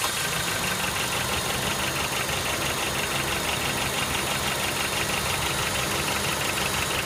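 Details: Honda Step WGN K20A engine at idle: fast metallic rattle about three per second, fairly even, over the idle; abnormal rattle, source unclear.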